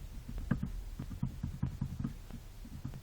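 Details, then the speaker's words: Toyota Corolla with electric power steering, steering column rocked by hand: light dull knocks in quick irregular bursts from free play in the intermediate shaft; worn bearing suspected as cause of knocks over bumps and gravel—not confirmed. "видео по проблеме стука на toyota corolla образные с электроусилителем вот такую ерунду нашел"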